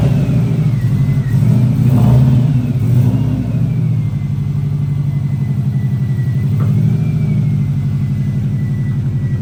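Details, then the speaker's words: Newly installed GT3076R Pulsar turbo (T51R mod) with rotated setup and custom intercooler pipes, still in break-in, accelerating: thin whistle rising and falling with revs over exhaust note; healthy turbo spooling. "I don't if you can hear this on video but see if you can hear it got Jing and spooling over here"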